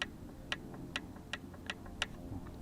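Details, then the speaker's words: OS 40 FP model engine on first run, 11x5 Zinger prop, OS #8 plug, 5% castor/synthetic fuel: light sharp clicks two or three a second over a soft drone at low rpm, normal plain-bearing crankshaft end play rattle. "And sometimes you'll hear that at low speed RPM. You'll hear a little rattling sound, and it's the in play of the crankshaft."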